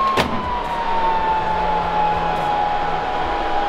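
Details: Server cooling fans during a burn-in test with a large neodymium magnet held about 4.5 cm away: steady fan whine slides gradually lower in pitch as fans lose speed under magnetic interference; several fans had already stopped.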